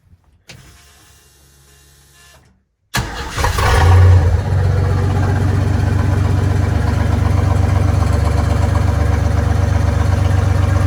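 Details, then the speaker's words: Chevy 4.3L V6 swapped into a 1964 Willys Jeep CJ5, timing set about 4° BTDC, tab possibly rubbing the wobbling bottom pulley; cranks, catches and settles into a smooth, steady, even idle; normal idle. "But I'll fire it up. You can see how much better it runs. You can see the oil pressure and everything, too."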